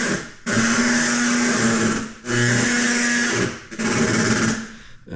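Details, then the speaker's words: Mitsubishi Evo IX rolled back and forth in neutral: a scraping, droning rub in bursts with each roll as the strut assembly rests on the tire. "The strut assembly is resting on the tire. So not good."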